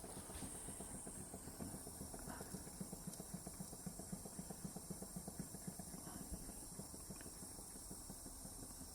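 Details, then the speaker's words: Wilesco D455 toy steam engine on two fuel tablets running slowly; soft, steady chuffing under light hiss, no knocks; worn engines won't run slow and stop as pressure drops, so this shows a tight, good engine, though it needs oil. "This is the speeds they run at. I think it's always a good sign good sign of how good the engine is because a lot of steam engines when they're worn, they won't run slow."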